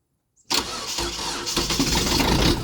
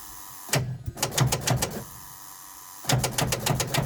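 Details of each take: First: Old diesel truck, cold start at +1° after snow after glow plugs cycle: silence, quick crank, catches into rough clattery cold idle; starts fine. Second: Old truck sitting 2–3 years, cold start at +1° after snow on bad batteries, no starting fluid: three sluggish uneven cranking bursts about four beats a second, never catches; engine turns over by hand, weak batteries/starter.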